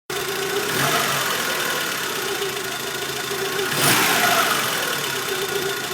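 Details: VW Polo Mk2F engine near idle with a hissy, rattly top-end noise over a thin base and a brief swell near four seconds; cause unclear: abnormal engine noise.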